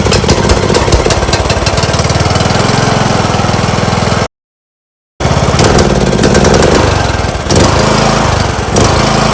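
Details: John Deere LA115 with a 19.5 hp Briggs & Stratton engine that dies at idle and smokes black: it runs rough, stumbling about three times a second and sagging. Spark good, plug looked rich, suspected carb flooding from a bad needle.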